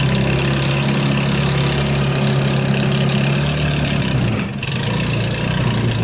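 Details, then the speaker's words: Hammerhead off-road go-kart, 150cc GY6, cold start: idles unevenly, dips and nearly dies around four seconds before catching again; lean surge and stall, fuel starved by contaminated carburetor, spark good. "what it's doing it's like cleaning out like I can't quite then quite get enough gas to keep it going so that's the issue with it"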